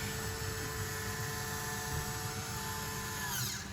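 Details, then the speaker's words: 2022 Wildwood Grand Lodge 42DL RV roof fan assembly, switched on and held open; thin steady high motor whine for a few seconds, fading as the lid reaches fully open and the motor stops, normal operation. "Once it's opened up all the way, the motor just kind of stops in place."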